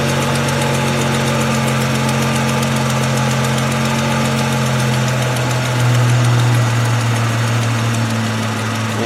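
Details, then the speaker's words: High-mileage 2002 Ford Mustang 3.8 V6 just after an oil change and Liqui-Moly flush: light steady tick over even idle, fading after about 30 seconds; owner suspects exhaust manifold gasket or a hole in the manifold. "so there's my tick again i believe that's exhaust related i don't know um i've tried oil stabilizer now i've tried liquor molly"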